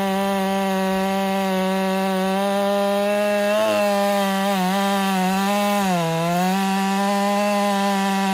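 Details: Ported Husqvarna 385 chainsaw during break-in, tune slightly rich, cutting very hard oak: a clean, steady high scream dips briefly under load and recovers at once, cutting healthy.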